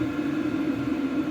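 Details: Vevor all-in-one diesel heater switched off after a garage test run: steady mid-pitched fan hum with no flame roar or rattles as it cools down. Normal shutdown cycle.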